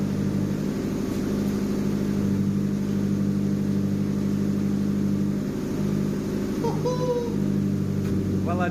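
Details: JDM Nissan Pulsar GTiR turbo four on a freezing cold evening, after reconnecting a vacuum pipe: steady idle without cutting out, fairly even exhaust beat, faint occasional spits; owner suspects excess fuel still burning off.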